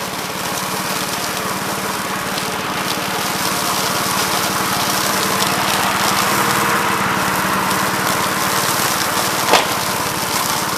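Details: 1969 Gravely C8 walk-behind tractor after repair of no-high-range fault (drove only in low range, stop-and-go in high); morning start-up, steady even single-cylinder patter at constant speed, no knocks or misses; running normally.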